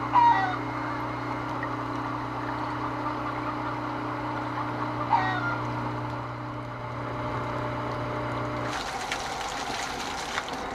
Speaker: Ayun humihigop na mga kaibigan.